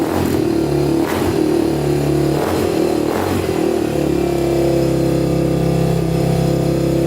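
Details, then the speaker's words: Honda TRX250X quad single-cylinder running on a 120 main jet: starts right up, blips and revs with slightly uneven, popping edges before settling; sounds lean, owner plans to raise the main to 135 and possibly the pilot. "all right well she started started right up no problem sounds like she's running a bit lean though so we might have to up the main and possibly the pilot"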